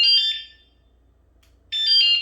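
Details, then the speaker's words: Dualtron Storm electric scooter aftermarket owner-installed anti-theft alarm: two loud shrill high-pitched chirp bursts with short gap; alarm sounding as it should. "I love the disc brakes, and This scooter does have an alarm"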